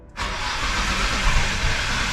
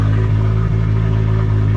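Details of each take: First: Nissan Skyline R33 GTR RB26 being started with fuel injectors enabled while setting timing with a timing light: fast even cranking for about three seconds, sputters without catching; ignition timing way off, being adjusted. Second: Nissan Skyline R33 GTR RB26, first run after enabling injectors and ECU reboot: steady even low rumble, smooth unbroken beat, no knocks or misses. Normal idle.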